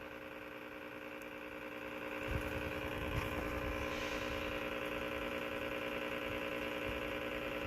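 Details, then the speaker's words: Whirlpool washer with a failing lid safety switch; after a click only a steady low electrical hum, no drain or spin, running only while the lid is pressed and stopping when released. "when I got up off the lid nothing nuts now press on the lid it starts I'll let go of the lid it shuts off"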